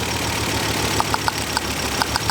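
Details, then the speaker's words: Mk2 Ford Focus ST idling with a misfire, coil packs unplugged one at a time: idle stumbles unevenly with sharp irregular ticks and pops, and changes at once as coils one and two are pulled, pointing to another coil pack. "but it's misfiring as you can hear that's changing straight away same with two"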